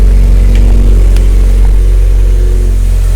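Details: Mazda Miata, first start in almost a year after a battery problem, hood open, owner suspects an oil leak. It catches and settles into a steady deep rumble with a slight rev, no knock or misfire. Normal running.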